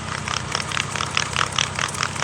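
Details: 2012 or 2013 Dodge Grand Caravan wheel bearing, removed during replacement, rotated by hand: gritty, crackling rasp in quick bursts, about four a second; worn bearing.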